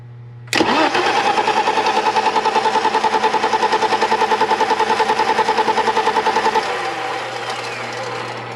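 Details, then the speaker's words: 1987 BMW 325i E30, sat outside after paint job, ran then stopped; starter cranks engine evenly about six seconds with no firing, pump heard but gauge on feed line shows exactly zero fuel pressure; crank no start. "Exactly 0 fuel pressure."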